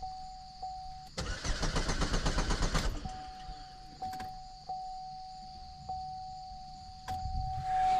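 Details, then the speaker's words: 2013 GMC Terrain, 2.4 L, crank no start with fuel pump control circuit, lean and misfire codes: starter cranks briskly and evenly about two seconds, never catches, no pump hum heard; fuses check OK, bad fuel pump suspected. "no I don't hear anything so I'll go and uh I guess check uh the fuses"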